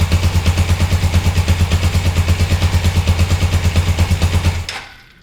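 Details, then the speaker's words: Clutch clanking on a 1981 Suzuki GS450L with a hard-to-pull clutch, after adjusting the clutch cable half a turn: heavy even clanking about three per second that stops at shutdown. The adjustment did not cure it; cause still unclear. "Well, it's still clanking away."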